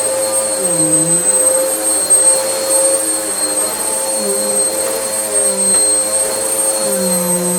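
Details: Vax Power U84-M1-BE upright vacuum after motor repair, previously sounding about to blow up: high steady jet-like whine at even pitch, no rattle or scraping; normal vacuum motor run, repair a success.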